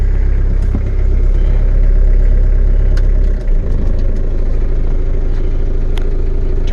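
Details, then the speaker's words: Diesel truck just started cold, with the manual throttle pulled for cold starting: a deep, heavy diesel fast idle that drops partway through as the hand throttle is pushed in. "idle down this is manual throttle control pull it up for cold starting push it in then when it's warmed up a little bit"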